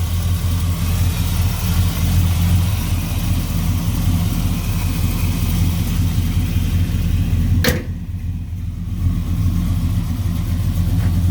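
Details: 1967 Chevy Nova SS clone with a stroker V8, Muncie 4-speed and 10-bolt posi reportedly with 4.11s, electric fan. Deep, steady idle with even firing, no tapping or miss, one brief thump. Good oil pressure, no smoke: normal idle.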